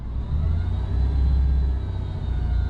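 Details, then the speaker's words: 2003 Ford F-150 4.2L idling: faint steady high whine over the low engine rumble, unusual and beyond normal engine noise; owner unsure if belt train or synchronizer, tests by removing serpentine belt. Found failed idler pulley bearing. "Now there's a noise. I don't know if it's in the belt train or if it's maybe the synchronizer making a noise. So what I'm going to do is I'm going to run it. You hear that kind of whine?"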